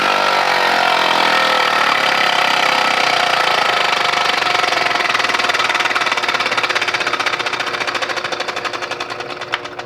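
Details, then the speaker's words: Compressed-air engine: crisp, even chuffing at about four beats a second that gradually slows and fades as the air runs out, about 11 seconds of running; runs cleanly. "just this year i've designed not one but two compressed air engines and as the name suggests they run off of compressed air just listen to that performance"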